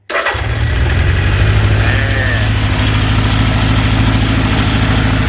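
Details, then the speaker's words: Honda CB750 K2 four-cylinder at idle running on a remote fuel tank with new electronic ignition: catches instantly, then lumpy uneven idle; two cylinders dead, cylinder 3 header only warm; cause was a carburation issue. "Now, what's a dead giveaway, and I've got to speak loudly now because, well, you know, the engine's running, is the temperature of the header pipes. That one is too hot to touch. That one is just warm."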